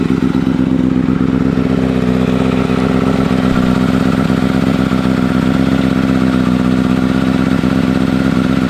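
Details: 2009 Kawasaki Ninja ZX-6R after a rebuild with a new fuel pump and wiring harness: a steady, even, buzzy idle with a smooth constant pitch and no misses, knocks or surging. Normal idle.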